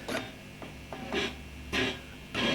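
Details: Vox AC30 C2 guitar amp, problem worse after warming up: sharp, irregular crackling bursts every half second or so, triggered by the lightest touch on the power valves; microphonic power valves suspected.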